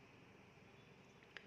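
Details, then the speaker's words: Brother printer (2520D/L2300D family) power supply board, MIP005 IC: faint probe click then steady high multimeter continuity beep showing rectifier diodes shorted; all four diodes faulty, good ones would not beep. "ये देखिए beep की आवाज़ आ रही है, beep की आवाज़ आ रही है मतलब ये खराब है, और ये भी बीप की आवाज़ आ रही है मतलब ख़राब है।"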